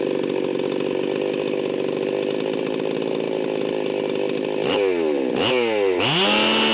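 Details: Stihl 038 Magnum chainsaw, unloaded high-speed run near 14,100 rpm: blubbery four-stroking burble instead of a clean scream; high-speed needle set super rich.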